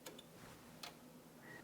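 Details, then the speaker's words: Yamaha KX-W262 cassette deck, faulty side: on pressing play it tries to fast forward or rewind but won't play. Sharp isolated clicks and a brief whir as the transport fails to engage. Mechanism clicking, won't play. "you can see if I hit play it kind of tries to fast forward or something it'll rewind it'll fast forward but it won't play"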